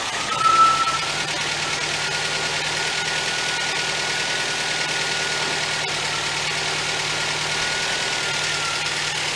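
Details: 1977 MGB after budget rebuild, coil fed 12 volts from fuse box, carburetor still needing attention, wiring faulty: even steady idle with a constant light hum, no knocks, misses or surging; runs smoothly.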